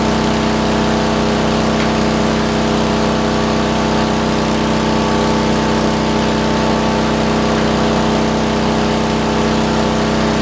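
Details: Roughly 40-year-old (1977 or 78) Lincoln Weldanpower 150 genset welder welding at 120 amps: steady, even drone with firm generator hum, holding speed without hunting under welding load; healthy engine.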